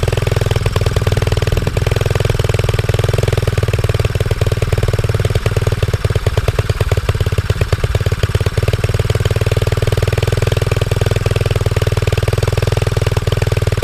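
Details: Pit bike just fitted with a new 26mm Mikuni carburetor replacing one with cold start and idle issues; warming up, steady single-cylinder thump at a settled idle, slightly uneven but no misses or stalls, running fine.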